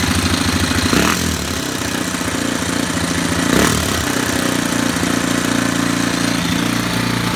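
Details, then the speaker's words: Warrior #4 single-cylinder after valve adjustment, about an hour or more on the rebuilt motor, no fuel tank fitted: steady, slightly high idle with only a faint top-end rattle left and oil smoke cooking off; runs good. "That definitely sounds better. That smoke's just it cooking off that burn oil, that non-burn oil. I think it was idling up because it's out of gas because there ain't no tank on it. But definitely ain't rattling as loud."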